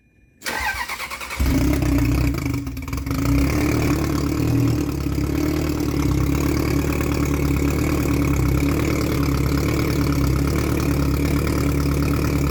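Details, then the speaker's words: Salvage Ferrari 360 Spider test fire after the transmission was refitted: starter catches within a second and the engine settles into a steady, even idle with no knocks or misses; everything worked as it should. "this was really exciting everything worked like it should have been"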